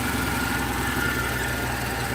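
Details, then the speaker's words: 2020 Ford Ranger at idle after restart: rough idle with gritty metallic rasp and faint whine; AC compressor clutch worn out, metal shavings visible on it, drive belt half gone and needing replacement. "sounds like ac clutch is about done headed on this thing it looks like we need a new belt because there's like half a belt here and the ac clutch is screwed"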